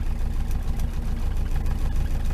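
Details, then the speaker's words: Rover P6 warmed up at idle, knock previously fixed via top ball joint; low uneven lumpy beat but picks up fine on throttle; rough idle, cause not pinned down; exhaust system in poor condition with crackling and banging. "she's running a little bit lumpy but she picks up all right when you're all her"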